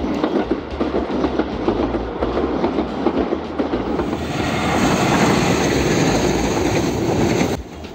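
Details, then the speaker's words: Indonesian train passing over unwelded rail joints: steady rhythmic clacks, nearly four a second, over the rolling rumble; the tek-tek grows more frequent as the train goes faster, unlike welded rail. "setiap produk kereta api melintas atau melindas ee pertemuan dua rel akan terjadi bunyi tekteek tekteek semakin cepat laju kueta bunyi tektek itu semakin ee kerap ya semakin rapat guys"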